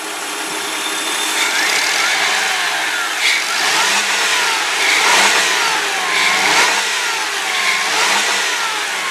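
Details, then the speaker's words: 2003 Ford Windstar SE, 3.8-liter V6 with a new battery, nearly new wires and fresh oil and antifreeze, revved several times in the bay. A clean, smooth rise and fall with an even tone and no knocks or rattles: normal revving. "I know these vehicles. Back in 2000, I was selling these Ford Windstar vans brand new, and that's how this motor sounds. I bet you there's got to be at least 100,000 miles worth of life left in this thing."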